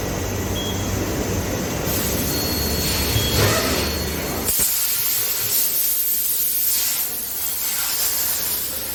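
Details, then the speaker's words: Kawasaki Z900 fitting new Michelin Road 6 tyre: steady hiss of air filling the tyre, then one sharp bang as the bead snaps onto the rim; normal tyre bead seating. "Okay. You will get to hear the bang now."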